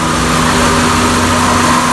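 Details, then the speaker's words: 2000 Honda Accord four-cylinder, garaged undriven six or seven years, idling with A/C on after adding refrigerant: steady mid-pitched hum, compressor clutch clicks on and compressor turns smoothly; compressor running normally though air not yet ice cold. "It is turning. Clutch is turning. See that? Glad that the clutch came on and compressor is functioning."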